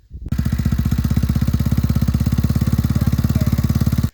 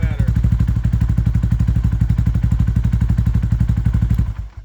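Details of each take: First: Yamaha Warrior 350 single before repair: sharp, even ticking about three to four per second over the idle thump from the head. Intake valve adjuster bolt was missing, later found in the exhaust side. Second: Yamaha Warrior 350 single after repair, with missing intake adjuster bolt refitted and valves adjusted: even, steady thumping about four beats a second, no ticking or misses, then shut off; healthy idle.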